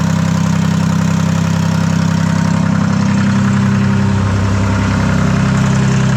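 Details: Detroit 3-53 two-stroke diesel after 25 years idle; reversed camshaft corrected, buffer screw being adjusted, no exhaust fitted. Even, steady idle with a throaty, unmuffled beat and no knocks or misses. Running healthy.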